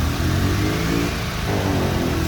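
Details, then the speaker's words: Mitsubishi Lancer GSR 4G92 after an engine refresh: steady, smooth, quiet idle with no knocks or surging. It previously had an idle issue; the old IACV had a shorted pin and the ECU was also checked. "So ayan, maandar na po siya mga padi. Yun, swabe na yung andar niya, tahimik na."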